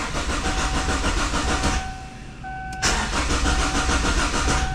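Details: 2002 Kia Sportage that sat long with top off, on a new battery, hoping the fuel pump kicks on: the starter turns the engine evenly about three and a half beats a second under a steady alarm beep but it never fires; crank, no start.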